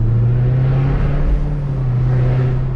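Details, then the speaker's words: 2020 Dodge Charger Hellcat Widebody with Corsa Extreme exhaust, one of two mufflers broken: deep, steady, hollow, raspy booming drone instead of muffled. Broken muffler. "it almost sounds like when a muffler uh you know when somebody got a bad muffler on that car that's what it sounds like to me"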